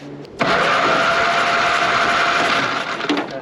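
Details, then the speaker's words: 82-year-old Ford GPW WW2 Jeep dormant since about 1965, compression test while cranking: starter spins fast and even with almost no compression pulses; one cylinder reads dead while another shows almost 110. Stuck valve suspected, head to be pulled. "that's almost 110 that's beautiful being dead dead like that has got to be a stuck valve"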